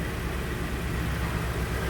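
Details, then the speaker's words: 2012 Hyundai Sonata G4KD with 160,000 km, after a rebuild for noisy cold starts and scored cylinders. Block bored 0.5 mm oversize, crank ground, exhaust cam and oil pump replaced, oil jets added. First start: steady, even hum with no knocking. Normal idle; smoke is grease burning off. "Первый запуск Сонаты прошел успешно, все работает."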